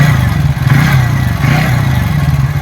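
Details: TVS Ntorq 125 BS6 scooter, restarted during timing chain tensioner check: steady, even low hum at idle with no rattle or ticking; sound now normal.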